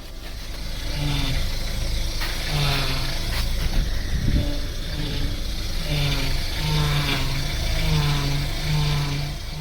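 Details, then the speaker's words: Engine running with moaning whine rising and falling in pitch; power steering pump judged going bad, or simply low on fluid needing a top up. "Customer states is my power steering pump going bad."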